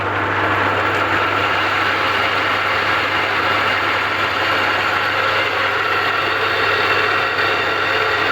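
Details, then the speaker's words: Home rock saw with long-noisy arbor bearings, run before refurbishing: constant harsh, rough whirring with a steady low hum, bearings audibly worn and the blade wobbling noticeably; the bearings are to be replaced. "okay yeah those bearings are pretty sharp blade's got a noticeable wobble in it"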